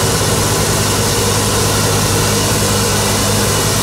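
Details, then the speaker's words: Repaired flail mower on a tractor, running at high revs: loud, even roar with steady rough chatter underneath, running smoothly with no misses. "Don't know if you hear me, tractor's running, mower's running."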